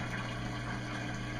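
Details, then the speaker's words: Whirlpool Cabrio washer in automatic test mode after motor capacitor replacement, motor agitate test apparently passed: steady, even low hum and smooth whirr with no rattle or grinding on the drain pump actuate test; normal drain pump operation. "I think we passed the previous motor agitates test may have happened before I realized that we're now on the drain pump will actuate test I can hear the drain pump working that's all good"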